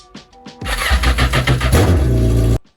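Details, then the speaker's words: Yamaha GP1200R converted to GP1800R, first proper start after engine install: short crank, then it fires within a second and runs smooth and strong, a clean start. "So here it is. This thing runs awesome. Dang. This thing is rowdy."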